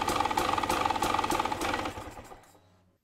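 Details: KTM/Husqvarna TPI two-stroke idling unevenly, about three lumpy pulses a second, then fading and stalling; rough idle and stalling caused by dirt getting past the green O-ring into the crankcase pressure sensor, fixed by cleaning the sensors.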